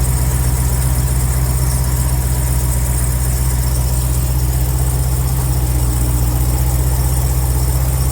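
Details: Trackhawk cold start idle: faint fast squeaky tinkling, about three a second, above the deep rumble; fades away as the engine warms up.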